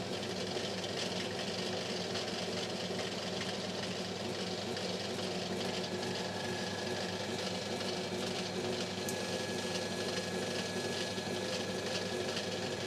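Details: Lathe turning the armature from a failed Rexon BTS10A table saw motor to skim the commutator, held with a dead centre and aluminium tubing over the shaft gearing. A steady, even hum with a faint light cutting hiss and no knocks or chatter: normal lathe running.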